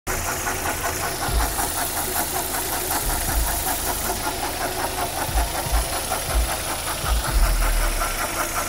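Steady idle with a loose, uneven knock, roughly two to three a second, sitting over the engine hum; source unclear.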